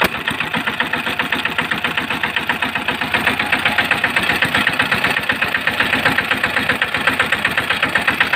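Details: Small single-cylinder engine after repair of tight, jammed engine where broken air filter pieces got into the cylinder between piston and head: steady idle, even firing around four beats a second, no knock or clatter.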